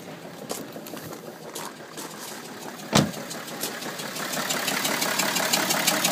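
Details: BMW E60 530d diesel starting and settling into an uneven, juddering idle with a knocking pulse; MAF and fuel checked OK, owner asks whether misfire, cause undiagnosed; rough idle.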